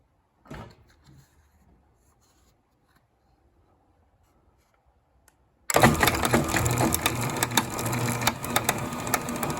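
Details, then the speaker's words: Craftsman garage door opener, Canadian model 102 1499A / 41A5021-3F, operating: quiet start then harsh steady grinding rattle and fast uneven ticking; debris at worm gear, worn bearing suspected. "Clearly something's wearing there. I'm guessing from above. Must be the bearing. Let's operate it and I'll let you hear it."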